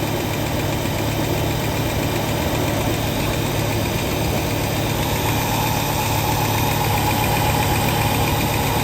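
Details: 1967 Lincoln with a newly installed carburetor whose inlet port was moved to the driver's side: a steady, even idle with a low, consistent hum and no stumbles or misses. It runs smoothly, with only an accelerator linkage issue remaining.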